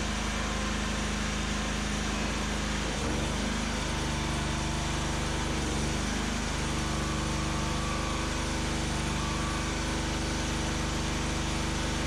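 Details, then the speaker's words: Homemade firewood processor, small engine driving hydraulics during first hydraulic test of splitter; engine note dips briefly as hydraulic load comes on then recovers evenly; splitter cycle about 7 seconds in and out; normal running under hydraulic load. "I'm pretty impressed with not having any real experience with hydraulics, just doing as much research online as I could for everything to work for the most part how I wanted it to."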